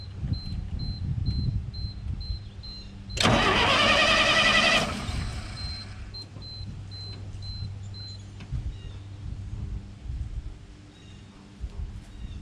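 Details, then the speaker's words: 1968 GMC C60 truck that has sat unrun for an unknown period, first crank with no fuel added: the starter turns easily at about four turns a second while a chime beeps, and it never catches; choke appeared stuck. "This actually cranks really easily, and the choke doesn't want to move."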